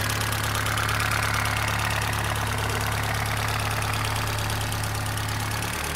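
Steady idle with a regular light knock, roughly three per second, riding over the engine note; sounds like internal wear. Cause suspected, not confirmed.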